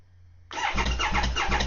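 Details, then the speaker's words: 2020 Triumph Speed Triple 1050S, 1050cc inline triple that has sat unused, cranking after new battery, oil and fuel: uneven hollow puffing beats and no firing; sounds like no compression, with a spark plug missing and ignition disconnected. "If you heard that, guys, when it starts me, there's literally it sounds like there's no compression there."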